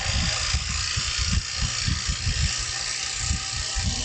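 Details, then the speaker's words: Woodturning lathe spinning a square box blank at about 1900 RPM, sounding a bit like an airplane: a steady airy whoosh with an even low thump from the corners, holding constant; normal running at speed. "I'm going to turn it up a little faster sound like an airplane a little bit I'm at like 1900 RPMs right now"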